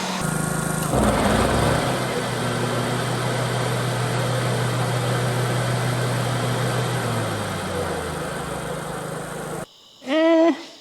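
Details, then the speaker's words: Abandoned 2003 Exmark zero-turn mower, unused for years, recorded in a garage: with the PTO blades engaged, a steady engine drone carries a thin whine, then runs down. Owner suspects a bearing. A hydraulic filter leak was also found underneath. "maybe maybe I'm over exaggerating I haven't ever heard this PTO engage in the garage in a garage in general so maybe it's just a little violent in here but it still kind of sounds like a bearing to me or something something isn't happy"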